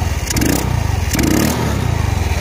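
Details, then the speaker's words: Yamaha Mio Soul scooter just fitted with a Supra carburetor, choke turned down, throttle test; even idle putter then two quick blips that rise cleanly and settle without stumbling: normal throttle response. "terus kita turun nih coknya ini tadi dengerin suara mesinnya ya nah G kita tes gas"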